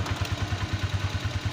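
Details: Italika 150 GTS motorcycle after replacing gearbox gears damaged by third-gear fault: even low thudding of the single at about ten beats a second in first gear, no whine or clatter from the gears; gearbox normal.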